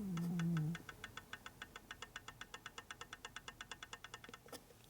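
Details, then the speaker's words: 1978 Harley FL 93ci stroker big-bore Shovelhead during rebuild: crisp evenly spaced light clicks, about seven a second, as cam is rocked by hand; excessive camshaft end play, about a fingernail's worth, likely noisy when running. "you can hear it. It's not a lot, but you can hear it. So it's probably going to make noise when it runs."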